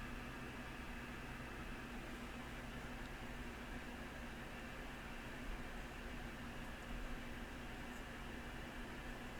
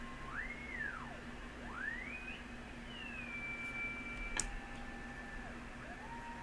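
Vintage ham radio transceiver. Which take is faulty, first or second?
first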